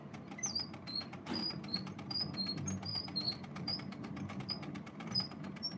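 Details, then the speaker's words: 1926 Victor Victrola VV 8-4 being wound: high, thin chirps repeat about twice a second with each crank turn; the dry spring motor squeals and needs white lithium grease. "you could hear the squealing that needs to have white lithium grease is needs to be yeah you have to use white lithium grease to get rid of that squeal I hate the squealing of this thing"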